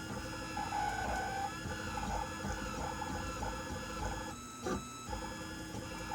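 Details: New Printrbot Simple 1403 3D printer during printing; steady high-pitched whine wavering with each move over the stepper hum, owner suspects the X-axis movement.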